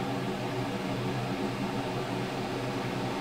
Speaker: So that's kind of its halfway point, 1 inch of static pressure. There's the noise we got.